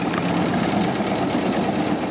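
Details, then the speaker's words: 1929 Ford Model AA Express barn find, first start after 30+ years, no coolant, cold: four-cylinder idles with a lumpy, uneven beat; owner suspects a dead cylinder, rough running. "She is running. Definitely seems like we're down a cylinder though."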